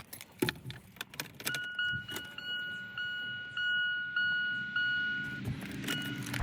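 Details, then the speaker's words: 2000 Chevy Blazer ZR2 after fuel pump replacement, key on with empty tank: key click then faint steady high hum about four seconds and stops; new fuel pump priming normally, fuel gauge moves slightly. "So, right now, I'm just going to turn on the key, make sure I can hear the fuel pump, and see if the fuel gauge moves."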